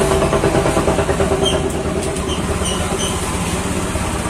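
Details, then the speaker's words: Honda Vario 125 scooter with engine running: coarse, gravelly churning from the drive side when the rear wheel turns, also rough when pushed with the engine off; worn CVT bearing. "Kalau didorong suaranya sok kasar gitu ya. Jadi, ketika roda diputar suaranya kasar sekali."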